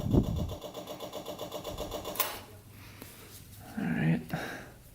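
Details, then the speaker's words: Long-sitting custom tractor with swapped 500cc Honda motorcycle engine, fuel line disconnected: fast steady ticking buzz as the electric fuel pump runs, pumping out rusty, water-contaminated fuel; pump working. "alright let's turn this bad boy on let's see if it starts up oh yeah it's pumping look at that color though that's a little rough"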